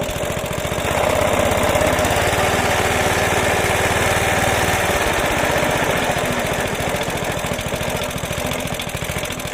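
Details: Suffolk Punch mower, small single-cylinder, after fixing the locked drive that would not disengage: brisk even beat near 170 per minute with a steady rattle behind it; runs, cuts and drive disengages properly.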